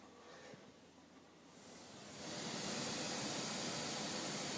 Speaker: I hope you can hear that. That's the hissing.